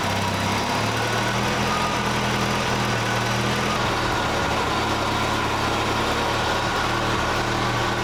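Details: 1968 Datsun 520 small four-cylinder engine after rebuild, new coil and electronic ignition distributor: even, steady idle with a smooth low hum and quiet hiss, no ticks or knocks; runs like a sewing machine. Owner suspects a cracked block near the freeze plug.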